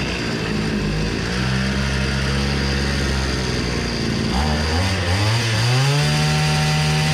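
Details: Hyundai two-stroke brush cutter after repair (flooded air filter): bright buzz holds steady, dips and climbs back smoothly when revved; runs clean and takes throttle well.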